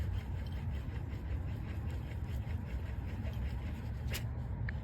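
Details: Buick/Cadillac/Chevy/Oldsmobile hub assembly removed, old unit spun by hand beside the new one: coarse, continuous low rumble with a gritty rasp instead of a quiet coast; worn wheel bearing grinding, hub being replaced.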